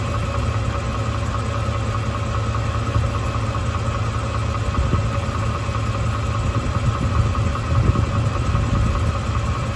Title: 2017 F-150 5.0 V8 engine knock, 27k mile update